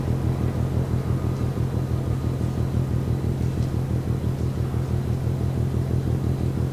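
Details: Container ship MAERSK TAIKUNG moored at Port of Genoa Pra', 1 a.m., recorded from over 1 km away: distant deep thumping about two beats a second, very regular under a low rumble; rhythmic banging, cause unclear.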